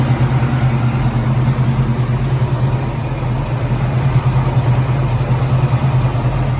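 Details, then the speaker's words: 1966 Ford Mustang 289 V8, Edelbrock 600 carb and Performer intake, lumpy cam, headers, cold after three weeks sitting, choke on, foot on gas: lumpy uneven loping idle about two pulses a second, wavering loudness, low vacuum (~7); later found one 302 connecting rod, 1/16" short. "It'll idle fine when it's warmed up, but I still got my foot on the gas keeping it going."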